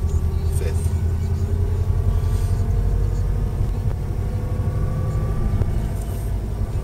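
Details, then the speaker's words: Subaru Impreza WRX cruising around 28–30 mph: faint steady whine over heavy road rumble from worn center differential bearings, most prominent in third and fourth gear, speed-dependent and unchanged by gear changes; bearings later replaced, removing the noise. "you'll know it's Cent diff because the noise speeds up with the car doesn't change in gear changes"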